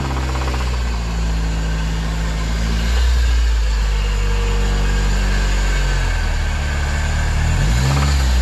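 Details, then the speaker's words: Honda K24 turbo-swapped EG hatch with spun bearing, oil pressure dropped to 14 psi at wide-open throttle above 8,000 rpm: light rev produces deep steady knocking about four times a second rising with throttle; suspected rod knock. "so I revved it up just a little bit just to see if I can get some noise for you guys but I can ensure you inside the car it's pretty loud now regardless of it having a rod knock or not"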